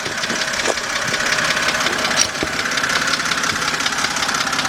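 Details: 2007 BMW 328xi engine at idle with a light, quick tick a bit under three per second over the idle. Heard louder from underneath the car, near the oil pan, using an extension as a stethoscope. Source not yet pinned down.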